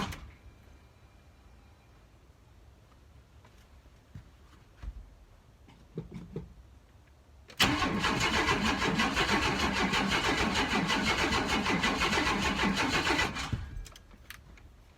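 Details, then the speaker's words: S10 Blazer sat five years, after cleaning grounds, low fuel (couple gallons): about six seconds of steady even cranking that never fires; fuel pump heard priming but apparently not delivering fuel, suspected. "all right so we are not getting it's not it's Charming doesn't seem like we want to crank I hear the fuel pump prom in but it's actually pumping any fuel"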